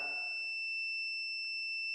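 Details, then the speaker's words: Electric dryer thermostat checked with a continuity meter while heated by a lighter; the high-pitched continuity beep never breaks as it heats, so the thermostat is stuck closed. "That noise, it should stop. That it's not stopping. But now it should stop if it opens."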